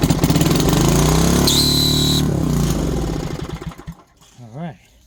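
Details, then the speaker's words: 1970s Briggs & Stratton 4 hp engine on an air compressor, first run with compression suspected low: it roars unevenly, then a thin high squeal under a second as the starter clutch squeals and breaks. "that was a side of clutch squealing and breaking but that's okay that was the first run not bad"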